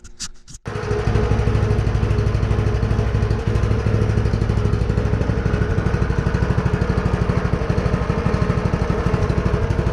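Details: Predator 212 Hemi engine on a DB30 minibike after restoration, first start before warming up: small single fires after brief crank, settles into steady, even thump about 2.5 beats per second. Normal idle.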